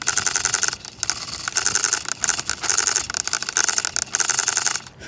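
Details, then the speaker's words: Nitro RC car steering servo: a high, chattering whine comes in short bursts each time the wheels are steered, over a quiet background; the owner suspects the servo is failing while the engine runs well. "that servo might be toast"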